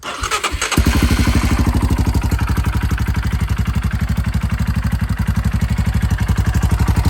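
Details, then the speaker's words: Royal Enfield Himalayan just after a Delkevic stainless header pipe and O2 sensor install, started in neutral while checking for exhaust leaks: it catches quickly into an even thump about four beats a second with no puffing or ticking; possibly running rich for now. "Looks like it's running pretty rich for now. It might just be soot was in the pipe that I shook up."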